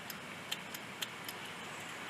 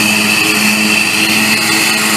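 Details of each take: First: Bolens riding lawn mower: sharp, irregular clicks with no cranking when the ignition is jumped with a wire, same as turning the key; failed starter solenoid not engaging the starter. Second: Bolens riding lawn mower that would not start, after replacing the bad starter solenoid: small engine runs at a steady, even pace with bright high buzz, no misses or knocks; healthy running.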